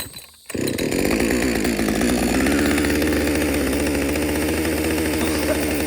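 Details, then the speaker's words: Husqvarna 562XP chainsaw, after the shop reflashed its software for dying when hot and stumbling, warm-restarted after a lunch break and refuel: catches and settles into a steady, even buzzing idle with no hunting, surging or dying; normal idle. "hey everybody love this idle this is a real scenario took a break took a lunch break had some water fueled it up need a rest let's see if this saw will run in idle"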